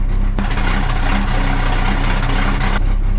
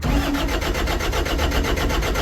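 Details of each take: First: 1975 Dodge D600 auction truck just started: the engine settles straight into a steady, even low idle with no knocks or misses; runs healthy, oil pressure present. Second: Diesel engine showing 20,000 hours with fresh oil, cranked: the starter turns it over at about eight even pulses a second, laboured and slow; sounds tight and short of cranking power (suspected). It then fired right up.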